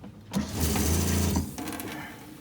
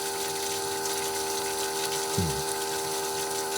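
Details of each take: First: Boat water pressure pump just rewired with proper connectors: short even motor hum with steady low buzz, starts cleanly and runs smoothly; normal pump operation. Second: Boat bilge pump with more water added: it pumps, then its steady hum turns to airy slurping and it runs dry because the water is too low but the float switch hasn't shut off. Owner suspects the pump sits too high or the float switch too low.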